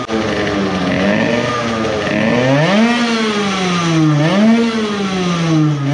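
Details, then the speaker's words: Modified moped two-stroke on its initial startup after block porting and epoxy work, with high idle and the carburetor leaking fuel at a steep angle. A high wail rises and falls through several revs with a ragged, wavering top note; sputtering at an estimated 15,000+ rpm. "at least judging by the initial revving test it might have had a bit more rpm but there was a lot of sputtering I would say it took at least 15000rpm, maybe more"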